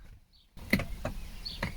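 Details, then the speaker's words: VW Eos convertible with roof fault; driver holding the window switch at end of travel, a few short clicks from the window regulator inside the door at the upper stop, the same noise heard when trying to close the roof. "you could hear clicking from the window regulator in here as the same way as it is as you do as you can hear it when you roll it down and hold it"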